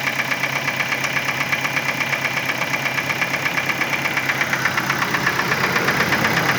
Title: My Ford Focus 2010 , engine sound problem